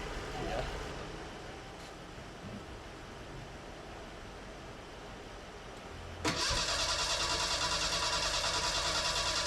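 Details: Fuel-injected Merkur XR4Ti after an engine swap, cranked after chunks came out of the fuel line. The starter turns steadily at about three turns a second, with oil pressure showing while cranking, but the engine never catches. Bad gas and ignition timing are suspected.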